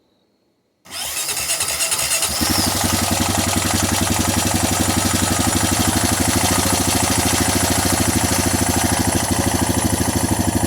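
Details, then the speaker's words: 2007 Honda Rancher 420 ATV after a valve adjustment done for a rattle, cold start with the air filter still missing: it catches within a second and settles into an even single-cylinder idle with no rattle or ticking. "sting my rattle just a little bit right when it first cranked but wants to all gets to the top in it should quiet down pretty quick"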